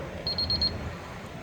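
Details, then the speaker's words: NICE Motx R gate keypad after programming a new pin code: wrong code entered, giving three short high beeps in a quick burst, the incorrect-code tone meaning the pin was rejected. "An incorrect tone will be 3 short beeps. So if you put in the wrong code,"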